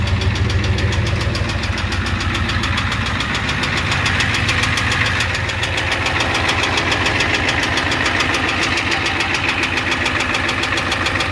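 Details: 1988 Ford F250 7.3L IDI diesel at idle with a high-pressure fuel line leak, white/grey exhaust smoke, smoke from the oil dipstick and oil in the add zone: a sharp, regular knock about two per second over the clatter. Cause not pinned down.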